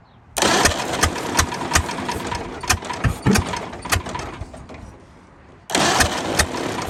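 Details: 1929 Ford Model A four-cylinder, abandoned 75+ years, rear half removed (likely doodlebug or generator/pump power unit): catches and runs unevenly with irregular popping, slow rev pickup, drops off and restarts; another exhaust valve sticking.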